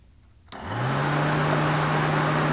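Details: Relay tester inserted in place of the cooling fan relay, powering the fans directly: silence, then the fan whirs up within a fraction of a second to a steady, even hum with smooth airflow rush; fans work, so suspect the relay.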